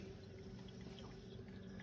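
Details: Premier RO Pure reverse osmosis system under sink: after the faucet is shut, water keeps draining from the pressure tank to the drain with a steady trickle and gurgle; not shutting off, cause suspected (possibly pressure tank), not confirmed.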